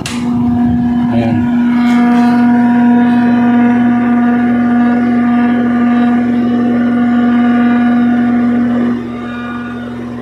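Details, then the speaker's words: A window-type aircon is fine on fan but loud on cool, giving a steady hum with a strong low buzz. The compressor's rubber mount was hitting its base plate; the noise went away once this was fixed. "so ang problema guys is Yung kanyang rubber an tumatama dun sa kanyang plate anan kaya maingay"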